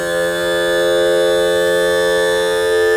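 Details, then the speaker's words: Mercury 60hp 4-stroke outboard. The tilt/trim cylinder would only raise halfway and was sucking air after 2.5 years low on fluid. After topping up with under 3.5 oz and cycling to purge air, the trim motor gives a steady, strong hum with no stutter. "So it's a closed loop. Now let's bring it up. See if there are any stutters. Okay. Not a stutter at all."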